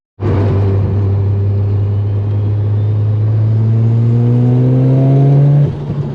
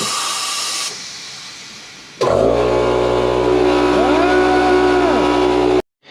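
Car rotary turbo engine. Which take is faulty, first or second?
second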